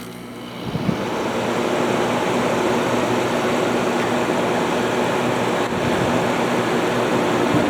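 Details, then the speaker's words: Haier ESA410J-RGB 10,000 BTU window air conditioner, about 15 years old by owner's estimate, started on cooling, recorded from the compressor side: soft thump, then a steady even hum with no rattle or hesitation; normal compressor start. "All right, that fired right up. No problem."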